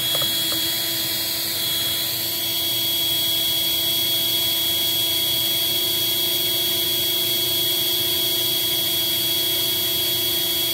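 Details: Eureka 402 Superlite 2-amp vacuum with screen filter, run after the clear underside access door was reinstalled: steady high-pitched whine with airy rush, changing briefly early on; suction seems weak, perhaps from motor wear after its filthy condition.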